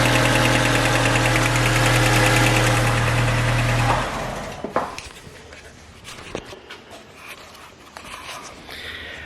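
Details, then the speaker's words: 2006 Mercedes A150 (W169) with a cylinder-4 misfire from an injector open circuit. After bypassing the injector wiring it idles smoothly with an even beat, then shuts off; the misfire has stopped. "See, the misfire stopped. It's not misfiring anymore after bypassing these 2 wires."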